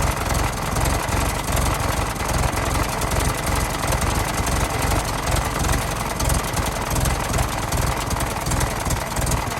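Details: 1916 Federal Motors truck, 107-year-old four-cylinder that was seized and sat 50+ years, bottle-fed fuel, rusty radiator being filled with water; low, busy idle with steady clatter, no big stumbles or knocks, runs smoothly: normal idle.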